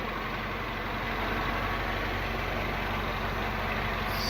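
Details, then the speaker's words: Peugeot THP petrol engine: settled idle with soft regular beat, no clatter or ticking; normal idle. "motorzinho PHP Redondo ligando Sereno sim sem som grave né corrente"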